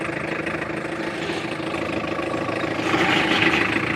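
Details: Tata Indica car at idle gives a rough, strained whine growing louder as the steering wheel is turned either way; power steering noise problem.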